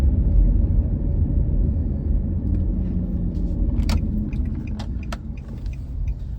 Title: 2004 - 2011 Nissan Murano noisy wheel bearing and abs sensor replacement